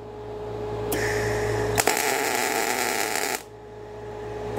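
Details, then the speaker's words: Everlast Cyclone 212 MIG welder on carbon steel, pre-flow set to 0.8 s (zero pre-flow gave a hard crispy start): soft gas hiss for nearly a second after the trigger, then the arc catches cleanly into a steady frying crackle; better, gentle start. "of know it's a better start let's try to hear the gas when you pull the trigger i could hear the gas come on and it was a full eight tenths of a second which seemed long"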